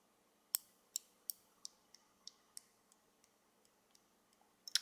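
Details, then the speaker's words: Budget safety razor head, handle removed: sharp irregular clicks of base plate and cap sliding back and forth on loose pins, excess play affecting blade alignment. "this one has play in it I'll listen okay can you hear that that's the base plate and a cap sliding back and forth"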